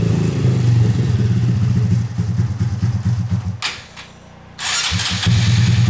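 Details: Rebuilt original Honda Grom engine after tightening exhaust valve clearance (0.007 in feeler gauge) to cure a tick: fires up, idles steady with quick throttle blips, ticking gone; runs healthy.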